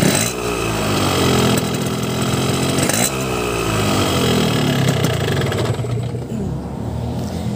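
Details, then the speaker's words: Hot two-stroke on ECCO 2T low-smoke oil, Pertalite fuel, aftermarket Crun block, carbon reeds, Denso plug, Boban C33 exhaust: it crackles and revs with a ragged, uneven beat, rougher than when cold. Cause not confirmed. "kemarin gue nyoba dengan setelan standar itu pas mesin Masih dingin kasar dan ketika mesin udah panas itu suaranya semakin kasar"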